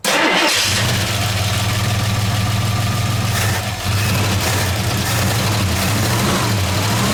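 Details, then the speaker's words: 1969 AMC Javelin 290 V8 on old fuel, after tightening three loose spark plugs and fully seating a plug boot: it cranks, catches and settles into an even, steady idle with no stumbling, and the earlier miss is gone. "To me, that sounds better already. I know you guys aren't in the car, but I don't feel that steady jerk, jerk, jerk, jerk, jerk, jerk, jerk, jerk like there's a miss."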